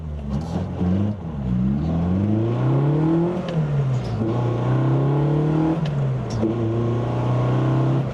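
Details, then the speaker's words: Nissan Sunny truck, freshly installed A15 engine, warm, clutch pressed. Revs blipped to nearly 3000 sag only to about 2000 and hang instead of returning to idle. The throttle is hanging and the owner suspects the return spring setup, which has no bracket. "That's nearly 3,000. So, see if it just buttons off by itself. Now, down to two and it's not going any lower."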